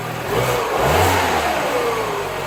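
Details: 2011 Mini Cooper after repair of a failed plastic coolant tube leaking at the back of the engine: catches, revs briefly and settles into a steady, even idle with no misses or knocks; sounds healthy.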